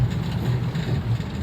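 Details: 2009 Toyota Avanza 1.3 after engine flush, previously sluggish with unstable rpm and hard starting: deep, even engine drone pulling smoothly in third gear with no shudder or hesitation, only road rumble behind it; engine pulls healthily.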